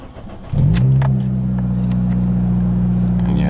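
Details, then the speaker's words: 2006 Toyota Corolla at idle on a 34°F day, after rear oxygen sensor replacement for P0037: the engine catches and settles into a loud, deep, booming idle with a raw exhaust note, because the muffler snapped off. "probably hear it's a little loud muffler decided to snap off last night so that's going to be your next video"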